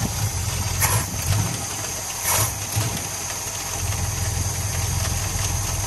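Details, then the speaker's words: Plymouth Fury V8 after sitting 5 years: idling with blips where the revs sag briefly before picking up, a hesitation on throttle. The accelerator pump is suspected but not confirmed. "yeah so i think that hesitation is accelerated pump i think that accelerator pump needs to accelerate itself off this engine"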